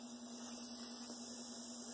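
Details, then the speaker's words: Athearn Blue Box SD40-2 model locomotive motor, on a bench supply at creeping speed with no load: faint steady electric hum with a soft even whir and no rattles or catches, which is normal low-speed running. "With no load, it should sound like that."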